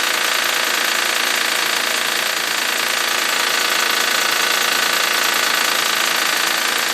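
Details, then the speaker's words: 2007 Honda Pilot, cold morning start in the 50s°F, recorded near the timing belt area: fast, even ticking around four per second over the idle. It quiets within about 30 seconds as the engine warms. Cause unknown. "should be able to hear it going away here in about 30 seconds getting quieter and quieter now you can hear it's almost indistinguishable from the engine sound itself and now it's mostly gone"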